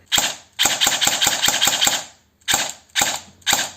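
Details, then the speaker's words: Cyma CM.030 G18 electric airsoft pistol after MOSFET and LiPo install, checking motor height screw: sharp evenly spaced shots, rapid string then singles, no squeal or drag; gearbox cycling normally, adjustment not needed. "If it sounds right, it's good, and if it sounds pretty bad, you should probably try to get on the screw a little bit. In this case, it was overrated."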